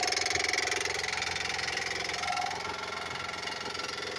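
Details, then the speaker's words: 2007 Honda Odyssey 3.5 idling, heard from underneath: steady, fairly quick knock, loudest at the timing belt hydraulic tensioner cylinder; knock from the faulty tensioner. "Ok, señores, bueno, la pieza que yo les acabo de mostrar y donde más se escucha el ruido es el cilindro, el que hace su trabajo de tensar la banda de distribución, la banda del tiempo."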